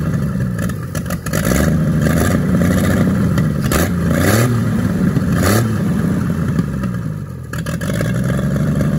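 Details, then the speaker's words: 1942 Chevrolet G506 six-cylinder truck, started on 12 V after revival: revs up and back down cleanly, then holds a fast idle on choke that won't come down; mixture screw no effect, no knocking, healthy running. "not bad at all at least she's uh sitting here idling doesn't want to without the choke and i can't bring the idle down at all"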